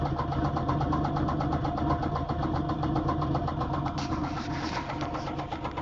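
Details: 2004 Grand Prix GTP with top-swapped, XP-cammed L26, 1000 km on the setup: after start-up a steady knock at about four per second under the idle; spun bottom-end bearing suspected.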